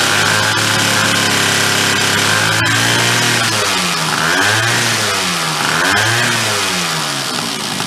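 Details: Chrysler Sno Runner snow cycle two-stroke, started with a drill after reassembly: loud raspy blatting and spitting as revs swing; exhaust leaking at the missing manifold nut.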